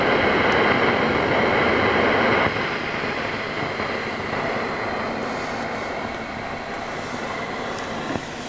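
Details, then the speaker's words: Fender Hot Rod Deluxe MkIII valve amp, mic near the speaker grille cloth: steady hiss with a "frying egg" crackle easing a little midway; suspected noisy valve, resistor or capacitor, cause unconfirmed. "okay i can hear that fried eggy sort of noise i call it kicking in"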